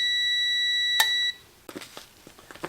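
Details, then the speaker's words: 1952 GM Autronic-Eye vacuum-tube headlight dimmer for a 1953 car: clean, steady high-pitched tester tone with no dropouts, then a click, where earlier it cut in and out; relay contacts now making solid contact. "remember a while ago that was sounding really iffy and cutting in and out it's very solid now"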